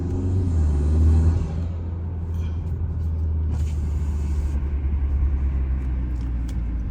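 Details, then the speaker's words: 2020–2023 Hyundai Sonata N Line just after installing HKS M45XL spark plugs: started right up, revved, deep even rumble swelling then settling to a steady drone with no stumbles; sounds good, no misfire. "it sounds good doesn't seem to be Mis fire or anything"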